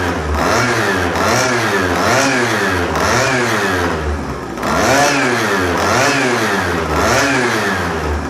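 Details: Chinese pocket/mini bike two-stroke, Dellorto SHA 15mm carb, first run on old oil-rich fuel mix: crisp buzz blipped up and down about once a second, clean pickup, no misses; runs fine, though a small exhaust leak is noted.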